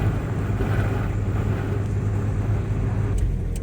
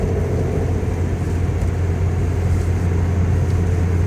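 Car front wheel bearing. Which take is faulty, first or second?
second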